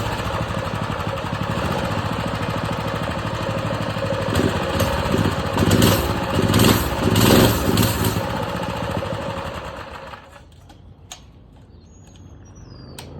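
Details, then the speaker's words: Predator 212 mini bike engine with idle set too low: runs roughly at about four firings a second, then sags and dies; won't start without a little throttle, owner thinks it probably needs choke and plans to turn the idle up. "The idle is really low. I got the idle down low, so you gotta kind of mess with it. You feel me? Like if I try to turn it on without it, look, it don't start."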